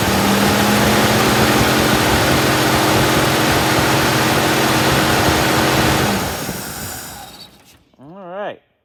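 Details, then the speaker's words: 1962 Chevy II with freshly rebuilt carb after sitting: starter churns steadily, no firing at all; carb dry, no fuel delivery, dead mechanical fuel pump. "so I'm gonna crank it and see what we get cranked and cranked and cranked and cranked and cranked and we ain't got nothing"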